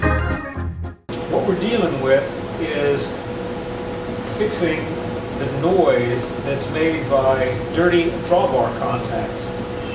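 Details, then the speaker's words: Hammond Model H (H series) organ: sustained chords with an irregular scratchy crackle on top; static caused by dirty drawbar contacts. "You can hear the static."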